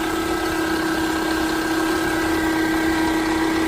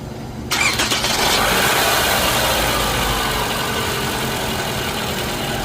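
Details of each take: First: 2011 Toyota Camry idling with a loud steady piercing whine and vibration at startup; rusty alternator pulley, worn alternator bearing, fixed by replacing the alternator. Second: 2011 Toyota Camry with complaint of loud whining under hood on startup: with accessory belt removed, engine cranks, catches and idles steadily with no whine, pointing to a belt-driven pulley.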